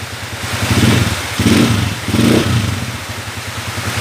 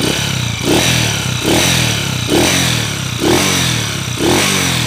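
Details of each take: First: 2010 Honda TMX155 motorcycle after adjustment of a noisy engine (earlier ticking traced to the exhaust): three clean rev blips rise and fall smoothly with no whine or meow; running smooth and healthy. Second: 2010 Honda TMX155 motorcycle idling in neutral: repeated sharp blips with a loud clattery rattle rising with revs, then a rough idle, with white smoke from the exhaust. A worn, scored cylinder bore needs a rebore.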